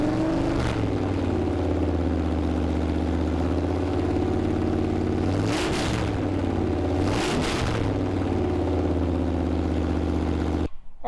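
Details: 1974 Plymouth Duster Mopar 360 V8, fresh rebuild, after fixing swapped plug wires: smooth even idle, two throttle blips rise and fall cleanly without stumble; normal idle.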